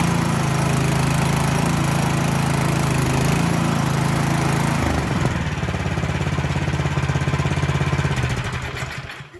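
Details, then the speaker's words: Cub Cadet 2X26 snow blower (engine 675-WUB), no-start fixed by cleaning one carburetor jet; started on choke at half throttle without primer: catches, runs steadily with even low beat, then winds down cleanly; running fine. "Yeah, so I got this guy back up and running. Didn't need to get too involved with the carburetor other than cleaning out that one jet."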